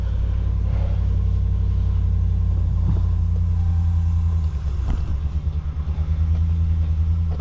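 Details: 2019 Ram 1500 that had a no-start with no power, now running after a fix at the RF hub module, where a capacitor is suspected of shorting: deep, even low rumble settling to a smooth idle with a regular pulse; normal idle. A new module is still advised.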